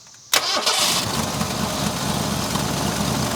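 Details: 1970 Ford Mustang V8, just revived after years abandoned: quick catch then an even, steady cold idle with no knocks or ticks, 55 psi oil pressure at cold idle; healthy engine.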